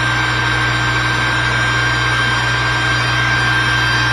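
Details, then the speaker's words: New SainSmart GS-775M spindle (rated 20,000 RPM at 24V) on a Genmitsu 3018 Pro, near 100% speed: a smooth, steady high-pitched whir over an even hum, with no rattles or grinding; it runs cleanly. "Oh, that's really moving. That's it 100%."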